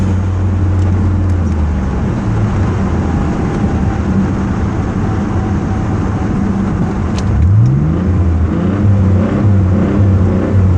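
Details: Mitsubishi 3000GT: low steady drone with an uneven pulse, then pitch sweeps up as the engine revs; an odd noise is present but its source is unclear.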